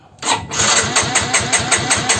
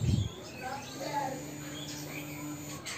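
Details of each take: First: Yamaha X-Ride fuel-injected scooter that won't run: the fuel pump doesn't hum and no lights or horn work. The starter turns the engine steadily but it never fires, and the coil spark test over a 1 cm gap shows no spark. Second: Yamaha X-Ride fuel-injected scooter after its fuel pump IC was checked; a click at key-on, then a steady low hum for about two seconds as the fuel pump primes: normal fuel pump priming hum.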